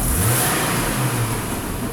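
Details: 2008 Hummer H3 with a misfire, being diagnosed with a vacuum gauge and MAP sensor scope for a suspected valve problem: a sharp throttle snap sends the engine climbing then falling back, sounding ragged; misfire under quick load, cause not confirmed.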